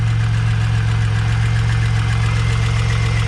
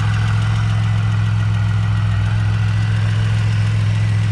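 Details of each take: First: Pontiac Bonneville SSEi, new supercharged L67 with ZZP VS cam, intercooler and ported M90, first run, hot idle: quick regular tick near four a second over steady hum; no knocking, suspected header exhaust leak, unconfirmed. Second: Supercharged Bonneville SSEi after a new L67 swap with ZZP VS cam, intercooler and ported M90, before tuning. Deep, steady, even idle with no stumbling or surging; smoother than the old engine, though a tapping, possibly valvetrain or accessory, is noticed.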